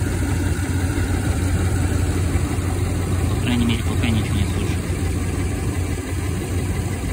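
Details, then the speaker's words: Toyota Land Cruiser 200 after the squeaking fan clutch was replaced with a new one: the engine idles with a steady, even low rumble, quiet with no squeak or chirp. "тихо никаких скрипов ничего"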